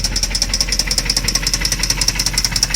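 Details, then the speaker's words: Jaguar engine with a knock, just refilled with cheap high-mileage oil and Dura-Lube as a last resort: sharp, steady ticking knock over a smooth idle that persists, sounds not good; engine knock at idle. "sounds this is how it sounds right now not good"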